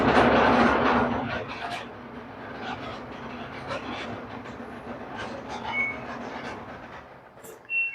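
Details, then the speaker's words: LG clothes dryer running: loud, rapid metallic rattle over the steady hum, caused by a loose internal cover striking the drum. "sounds like it's about to Rattle itself to death so yeah we'll take it apart and I'll show you what's going on"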